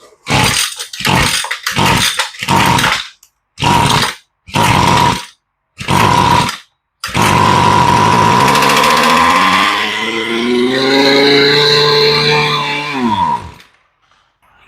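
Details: Curb-found Poulan Pro pole saw with a clean cylinder and zero fuel, run on starter fluid only; several rip-cord pulls, then it catches, revs raggedly for about six seconds and dies: fuel starvation.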